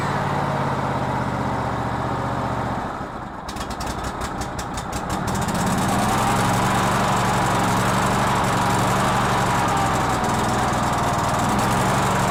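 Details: Cub Cadet LT1046 riding mower reported to run badly: uneven, lumpy idle that stumbles a couple of seconds before settling; rough running, fuel problem suspected.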